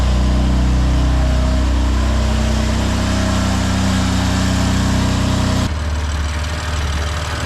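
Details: 2020 BMW F82 M4 S55 engine, cold idle: faint quick ticking rattle from loose camshaft bolts on the exhaust side, tech says common S55 issue, rattle believed gone when warm; injector ticking also normal; repair scheduled.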